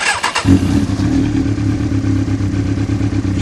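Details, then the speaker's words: Motorcycle that would not start in gear with the clutch pulled because the clutch sensor did not detect it; after cleaning and refitting the sensor the engine catches within half a second and settles into a steady, even low idle; it also cuts out automatically when the clutch is released. "çalışıyor deneyelim Evet debı bırakınca da kapanıyor otomatik"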